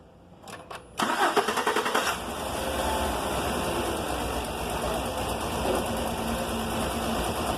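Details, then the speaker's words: 2019 Chevrolet Silverado crew cab, 4.2 L V6 gasoline, cranks but won't start despite spark; with gasoline poured in it cranks briefly, catches and runs steadily, confirming a fuel pump problem. "So there guys engine running confirm fuel pump problem"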